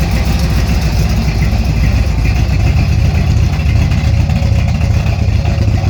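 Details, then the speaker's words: 1964 GMC truck, old V8 at idle: a deep, uneven rumble with an irregular loping beat. The big Carter fuel pump seems to be pushing too much fuel into the carburetor, so it loads up easily; a fuel pressure regulator is needed. Rough running. "this big old carter pump is just shoving away too much fuel into that carburetor and it is not too happy so it tends to load up a little pretty easily"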